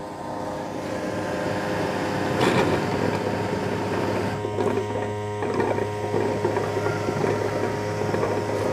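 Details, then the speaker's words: Roborock S8 Pro Ultra dock washing the mop before cleaning a room: steady motor hum with soft scrubbing swishes as the brush sweeps back and forth; normal mop washing cycle. "Okay, so the S8 is washing the mop now. And again, you're going to hear the same thing. You're going to hear that brush going back and forth."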